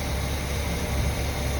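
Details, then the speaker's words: Chevy C10 farm truck, V8, after new exhaust and tune-up (previously ran poorly): smooth, even low rumble with steady beat, no skips or misses; idling cleanly and quietly, repair a success. "It was a success."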